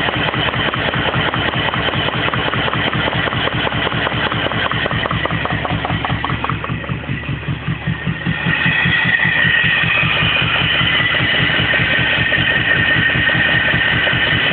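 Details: BMW E34 petrol engine idling roughly with a steady knock of two to three beats a second from the driver's side, starting days after new intake manifold and throttle body gaskets; owner suspects debris in a cylinder or gummed plugs.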